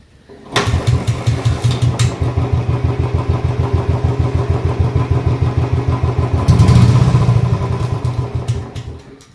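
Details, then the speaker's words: Old Royal Enfield Bullet 350 single-cylinder after full restoration and engine work; before, kick was very hard, it needed ~10 kicks and was misfiring. Now it starts on the first kick and idles evenly and quietly. Normal start and idle. "മുമ്പത് മിസ്സിങ്ങും സ്റ്റാർട്ടാവാൻ പാടായിരുന്നു. ഒറ്റയടിക്ക് സ്റ്റാർട്ടാണ്, സൈലൻ്റാണ്."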